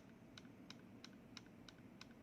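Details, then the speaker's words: Light mechanical keyboard switch gives a sharp tick about three times a second; switch ticking from stem wobble, more wobble on the left switch; possible causes stem wobble or short spring. "you see that's switched ticking let's see why see there's no wobble but the l see it's more wobble on the left switch that's this guy this is switch ticking"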